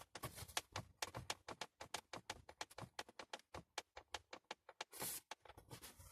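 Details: Loose dashboard trim panel in an Х70, missing retaining clips, one found in the glovebox; rapid uneven plastic clacking, about five taps a second, as the panel is moved by hand: rattle from missing clips.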